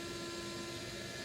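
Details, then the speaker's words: Central vacuum motor, new high-frequency muffler fitted. Loud, steady whine with a hollow airy roar, louder than it should be. The motor is spinning slower than normal; owner suspects a failing bearing. "that's a very odd sound it is not supposed to it's not even supposed to be this loud so obviously something is going bad in this thing the motor is actually not even spinning as fast as it normally does"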